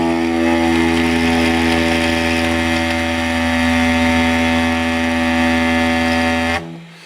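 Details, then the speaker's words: Silvertone 1474 tube amp, channel 2, original speaker: sustained low guitar note with harsh raspy buzz that changes tone as it vibrates — seriously damaged speaker voice coil. "well there's no doubt about it you can hear it it even changes tone uh while it's vibrating"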